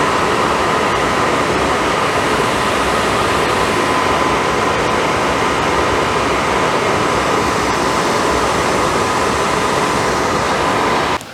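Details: Suburban RV furnace that previously had no gas and no ignition, bench-tested on DC power after repair: even, steady whooshing roar with no pulsing, banging or flame rumble; blue flame lit, burner running normally.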